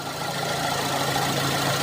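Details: Used car engine idling with AC on and radiator fan running; smooth, even idle with steady fan whoosh, no knocks or ticks; healthy engine, no vibration.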